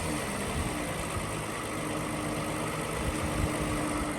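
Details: 2007 Toyota Avalon XLS, 167,000 miles, hood open, revved a little from idle: even engine hum with no knocks or rattles, building as the throttle opens; engine sounds healthy.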